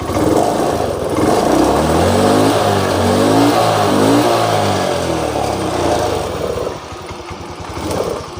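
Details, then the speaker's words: Honda Beat/Vario scooter after valve work, white smoke and oil consumption fixed, compression restored: clean throttle blips rise and fall smoothly, then settle to an even idle with no misses and no exhaust smoke; running normally again. "Dan motornya juga di sini teman-teman sudah bisa langsam. Ini sudah tidak mati ya, dan kompresinya sudah normal, jadi motornya ini sudah normal kembali, dan juga sudah tidak berasap ya, sudah tidak ada asap di sini."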